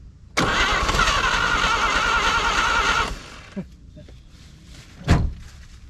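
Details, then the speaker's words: 1950 Chevrolet Styleline parked 7-9 years, first start attempt with fuel line off: engine catches at once, runs roughly under three seconds, then cuts out dead, firing on primer but won't keep running; starts briefly then stalls. "what she popped off in like two seconds she didn't even get like a full Revolution and it popped super excited"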